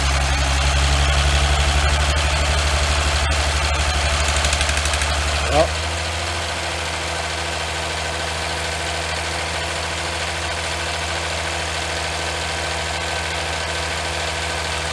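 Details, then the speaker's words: Chrysler 300C 3.0 V6 diesel (Mercedes W211 engine) at idle: sharp regular tick about four per second over the clatter from an injector lifted completely off its seat and leaking. "Une fois que vous avez ce bruit là, et également, je sais pas si on peut voir. Voilà, là on voit bien, on voit que l'injecteur est complètement décollé."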